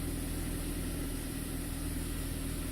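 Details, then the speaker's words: 2000 Saab 9-3 SE turbo after refitting the popped-off intercooler exit hose, which had caused surging, no idle and warning lights; now a low, steady, even idle with no misses, turbo gauge steady, no trouble codes; normal idle. "So, moment of truth. Seems to be running good. See that turbo needle right there? That thing was all over the place."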